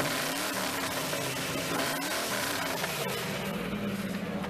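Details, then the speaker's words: Used car at a dealer auction with automatic transmission and an odometer possibly reading about 96,343: a deep, loud, rumbly exhaust at steady light throttle. Aftermarket mufflers are suspected, and pulleys may also have been replaced. "It's got some mufflers put on it. Lord, does it have some mufflers put on it."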